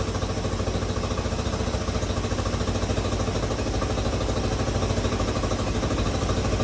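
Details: 1986 Honda CT110 after a carburetor rebuild, with the mixture screw turned back to where it started: the small single ticks over at an even, steady beat with no stumble or hunting. Normal idle, mixture set right.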